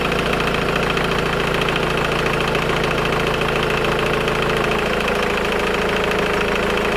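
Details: Engine at idle: a fast metallic timing chain clatter, steady and not fading, persisting over 3 minutes after starting, even when revving; the stretched chain has collapsed its tensioner.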